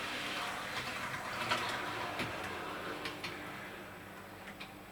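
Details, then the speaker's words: Dapol Class 121 model locomotive after driveshaft fix for motor running without movement: quiet even motor hum with light ticking at full scale speed, easing smoothly to a stop; no noise or binding, normal running. "as you can see join do it flat out scale speed flat out do it slowly and you can see there's no noise it runs really really nicely and it's a job well done"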